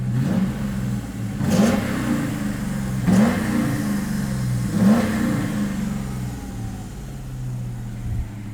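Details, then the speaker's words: 2003 Ford Mustang built 5.0 V8, idling after an air leak was found and other leaks plugged. Three clean throttle blips rise and fall smoothly back to a steady idle with no stumble. The engine revs freely despite known electrical issues. "So, yeah, I think we've got the car running quite nice. Let me try to give it some gas."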